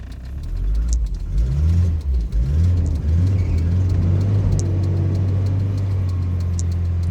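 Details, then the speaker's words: Volvo 940 Turbo (manual) that died because it ran out of fuel (the fuel gauge is broken): after refuelling it catches after a moment, revs up and settles into a steady low idle. "we go so it was just fuel easy fix"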